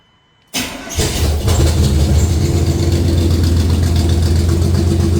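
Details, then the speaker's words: Small-block 305 V8 in an A-team van, before the swap with the stock rockers as the baseline: a short crank, a clean catch and a deep, even idle burble with no misses. It sounds okay but not radical, so 1.6 exhaust rockers come next. "So, that's what we got right now. This sounds okay, but I'd like it to sound a little bit more radical."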